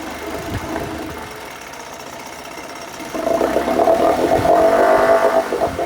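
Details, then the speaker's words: 1980 Chrysler Sea King 15 hp outboard after ignition coil replacement: idles steady then revs cleanly with no miss, both cylinders firing evenly; engine healthy. "I revved it up, no miss. That's it. This engine is good to go."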